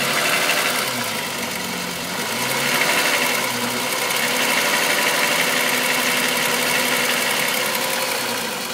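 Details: VW Golf VR6 2.9, 103,000 km, steady idle: busy metallic rattle riding high over the engine, constant rubbing chain noise. It grew louder after the upper hydraulic tensioner screw was replaced; cause unconfirmed.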